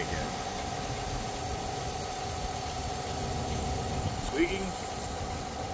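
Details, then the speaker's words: 2020 Chevrolet Silverado LTZ V8, almost 60,000 miles, idling with a high chirping squeal; spraying water on the belt quiets it, returns as it dries, so the serpentine belt, not a pulley, is bad. "you spray on the belt and it Qui gets quiet so you can see there you you down there spraying on the little water in the belt it will go away and as that water dries off it will start squeaking"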